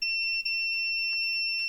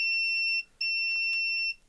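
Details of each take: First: AXUS USB keyboard with no power, continuity test on the USB cable's black wire while wiggling it: a high beep holds nearly throughout with one split-second dip; conductor reads good. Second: AXUS USB keyboard with no power, multimeter continuity on its cable while the lead is wiggled: the tone drops out and returns unevenly. A break in the wire or a bad internal connection is suspected, not confirmed.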